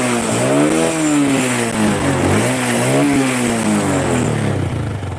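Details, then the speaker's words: Honda Supra 125 after connecting rod repair that cured tek-tek ticking under throttle; clean blips rise and fall smoothly with no ticking: normal revving. "nah ini Supra yang suaranya tek tek tek gitu teman-teman kalau di gas itu ada suara sekarang udah sembuh ya"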